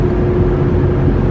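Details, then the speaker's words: 1998 Ford Expedition 4WD while driving: low, steady light roar under road noise from the driver's side front, louder with speed, also faintly felt in the steering; worn front wheel hub assembly. "But since I've replaced these before, now I don't know if you can hear it, but you might be able to. It's just a light roar, kind of"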